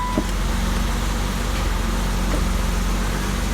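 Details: 1990 BMW 325i (E30) cold idle just after first start following timing belt, water pump and seal work; steady, even low rumble with no hunting or surging: normal cold idle.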